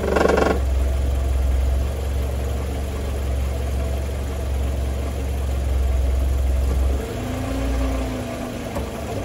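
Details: Mercedes W202 C180, 1993: tinny metallic rattle over low engine idle with a gear engaged, from a loose catalytic converter heat shield.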